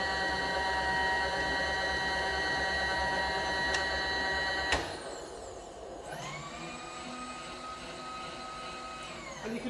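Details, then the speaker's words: Fully rebuilt Bridgeport milling machine, table power feed with adjustable stops and centre cutoff switch; steady even motor whine cutting off cleanly, smooth run, working properly. "can adjust these stops to wherever you need them to be and just lock them off, and then when the power feed hits this middle switch, it'll just turn it off."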